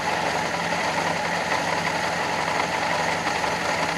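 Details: Fiat Panda 4x4 Sisley after carburetor cleaning, warm: uneven, lumpy idle with slow irregular stumble about twice a second, smelling of petrol as if over-fueling; caused by jammed float level, fixed by bending float pin to lower fuel level.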